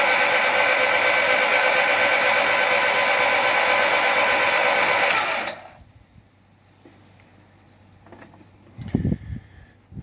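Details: Vauxhall Firenza HPF Lotus conversion before first start, spark plugs out, cranking to prime oil (CRC still pumping from plug ports): fast even high-pitched starter whir, no compression pulses, about five seconds then stops; normal cranking with plugs out.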